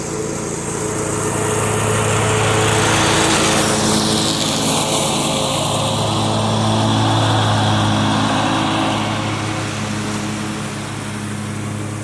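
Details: John Deere 345 with Kawasaki FD611V V-twin at about 490 hours, after revival repairs and a fuel filter change. Smooth, even drone swelling and settling as mowing load changes, no knocking or misfire; runs smooth and uses no oil.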